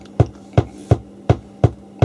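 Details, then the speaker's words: 1980s Marantz PM-45 amplifier phono stage, right channel only: deep regular thumps nearly three per second over steady hum, slowing when board touched; motorboating low-frequency oscillation, suspected from excess conductive glue/residue on board from earlier repair. "can you hear this click in the background like a low frequency instability and it's only on the right hand channel"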